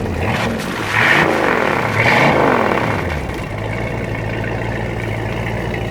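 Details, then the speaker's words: 1986 Supra boat, 351 V8 (PCM) after replacing worn-out distributor and rebuilding dripping carb: two clean throttle blips rising and falling smoothly, then steady even idle, no stumble or knock; running as it should. "cut it off start it up now sound like it's supposed to"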